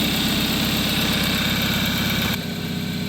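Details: 2013 Kia Soul 1.6L after alternator replacement with a used low-mileage unit: even, steady idle with a smooth low pulse and no belt squeal or chirp from the front; the engine sounds healthy.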